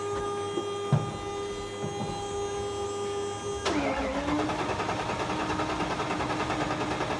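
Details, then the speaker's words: 800hp Coyote V8 in a 1931 Ford Model A, started on a cold 55°F shop day with no coolant in the engine or intercooler: after a quiet spell the starter catches and the engine fires at once into a steady, even idle with no misses; normal start and idle. "it runs that's that's pretty cool but we're not done yet"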